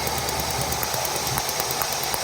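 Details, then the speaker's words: 2005 GM truck with 6.0 V8 idling with fast sharp snapping ticks and misfire; dealer blamed lifters, but a chafed spark plug wire touching the flywheel was arcing to ground. "escapando chispa en la en la válvula y esto está ocasionando eso"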